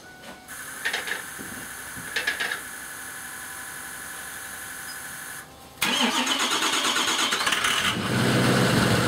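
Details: 6.0 Powerstroke diesel run with Archoil 9100 additive to address HEUI stiction: a few starter whirs, then catches into loud busy diesel idle; start seems slow or hard, stiction suspected.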